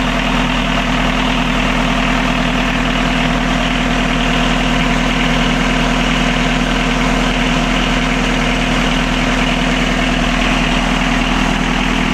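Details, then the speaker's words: Catamaran diesel genset after fixing two swapped controller wires that drove the throttle wide open and shut it down: steady even drone and constant hum, no misses, knocks or surging; now running normally. "So once we found that, we then reset all the controller again, got the wires around the right way and fired it up, and it's now working fine."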